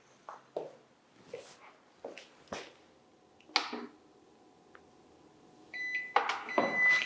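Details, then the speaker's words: Long-runtime UPS with two external batteries, power switched on: a few clicks and switch taps, then short steady beeps during normal startup self-test before green indicator shows standard operating mode. "ჩაერთო ახლა UPSი თვითდიაგნოსტიკის პროცესშია და როდესაც უკვე მწვანე ინდიკატორი რჩება ჩართული ეს იმას ნიშნავს რომ უწყვეტი კვების წყარო გადასულია სტანდარტული მუშაობის რეჟიმში"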